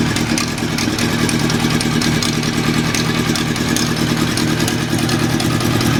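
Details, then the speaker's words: Honda CB750 cafe racer idling after carburetor rebuild; light uneven clatter about two or three taps a second over the exhaust beat, owner suspects alternator area, possibly a noisy bearing, not sure. "sitting there at idle at the moment it has a little bit of a rattle in the bottom and I can hear it so after starting the engine and just sitting there on idle that little knocking noise it just seems to be coming from the alternator here"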